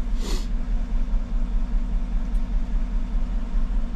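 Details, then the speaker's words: 2014 GMC truck, 5.3L, 81,000 miles, at startup: low, lumpy idle stumbling two or three times a second; cylinder 1 misfire, no lifter tick, misfire moved with the swapped coil, so faulty ignition coil. "random misfire misfiring startup let's go to live data figure out which cylinder this is their misfire right there well she's telling me number one and history counter number one"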